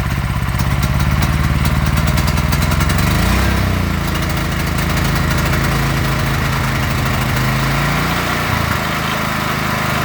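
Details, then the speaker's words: Predator 8750 W inverter generator with a Nash tri-fuel kit on propane: with the idle block nut backed out too far the note wavers and hunts, dipping and surging unevenly at idle. Rough running from a misadjusted idle block. "But if I back it out too much, you hear that? It's not running quite so good."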